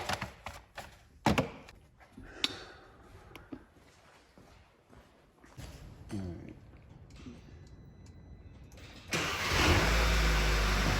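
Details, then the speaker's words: 2009 VW Eos 2.0T, towed in with flashing check engine light and misfire, after ignition coils were reseated and faulty coil dealt with: after clicks the engine catches at once and settles into an even, steady run with no stumble, normal start. "we just started it let it R for a little bit let's bring up that misfire counter sounds good so far right so far so good"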